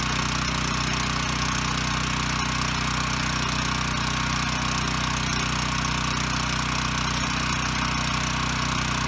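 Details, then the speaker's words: Ryobi RY905500 5500 W generator, no load: steady even drone at constant rhythm, no surging or stumbling; runs and makes power, hertz and voltage good, one side dead pending GFI reset. "okay so the good news is it runs and makes power"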